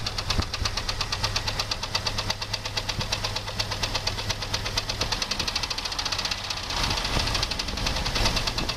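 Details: 2001 Jeep Grand Cherokee 4.0 straight six: sharp, quick, fairly even ticking-knock over steady idle, started suddenly on restart; loudest at exhaust manifold-to-engine joint by stethoscope, valves and belt-driven parts ruled out; source unconfirmed, wind noise present.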